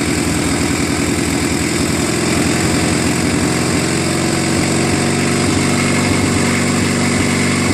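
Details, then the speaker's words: Murray Ultra garden tractor opposed twin, which ran rough and backfired, after carburetor overhaul, magneto replacement and new spark plugs, at slow throttle: a steady, even putter with no misses or pops; running smooth. "better that sounds much better"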